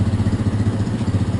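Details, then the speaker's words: Fly 135 motorcycle after crankshaft bearing replacement, reassembled: steady even idle with smooth regular pulse, the previous tec-tec-tec knock gone; normal idle after repair. "já montamos já fechamos vamos testar a enviada para ele um redondo não tem mais aquele barulho tec tec tec"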